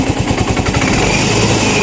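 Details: Yamaha Mio i 125 scooter with many problems: misfiring (palyado), smoky, sometimes won't start, electric start doesn't catch, TPS reading drifting to 74 from adjusted 66, O2 sensor not reaching 1 volt; rough stumbling drone, misfire from rich mixture.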